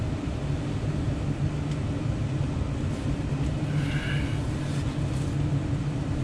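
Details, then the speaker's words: Residential furnace blower running after the blower was pulled, disassembled and cleaned of heavy dirt to cure a vibration: a steady low airy rumble with no wobble or rattle, normal operation. "now I have to test the system so I'm gonna turn on the fan and I'm turning the volume all the way up on this video so you can hear it no more vibration"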